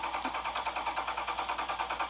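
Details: 2013 Jeep Grand Cherokee Overland not starting; steady fast pulsing whir about seven beats a second with no engine firing; dealer found no fault codes, cause unknown.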